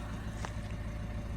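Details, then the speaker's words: Peugeot 1.6 HDi diesel after cylinder two injector fault (P12A5/P0266) repair and codes cleared, on a cold wet day: previously very rough, now an even, steady, smooth idle with no stumbles and no fault codes; normal idle. "idling really nicely. Um, and we've got no fault codes."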